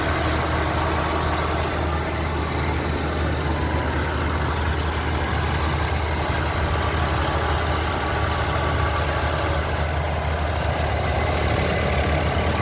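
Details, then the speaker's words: Lincoln Continental Mark-series (Mark V/VI) V8 idling about thirteen seconds: steady, even low rumble, no knocks or misses; sounds solid and healthy, normal idle. "It sounds good, there's no... No It sounds good, no chicken or anything."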